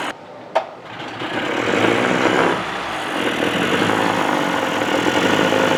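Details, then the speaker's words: 1985 Johnson 20hp outboard, just reassembled, first run after pumping the bulb hard: pull start catches, then a steady, even buzzy two-stroke idle without misses, running like a top; owner suspects shot shift dogs, since gear engagement clunks. "Well, she runs, but I got a little bit of a problem. As you see, the motor's running like a top."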